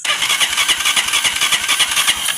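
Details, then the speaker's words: Honda TMX 125 motorcycle with a history of hard starting: quick, even starter cranking at about eight beats a second that never catches. Very weak spark at the high-tension wire from the CDI ignition; fix is converting to battery-operated CDI. "tingnan natin kung may kuryente yung kanyang ano high tension wire pumipitik na kuryente. Mahina lang. Napakahina napakahina."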